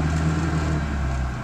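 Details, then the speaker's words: Engine with blown head gasket idling rough and lumpy, running rich, no knocks; owner suspects EGR valve or head gasket, possibly a sticking carburetor valve, and had blanked off an area, maybe the wrong one. "you can hear it running a little rough but there's no knocks and it's definitely running rich"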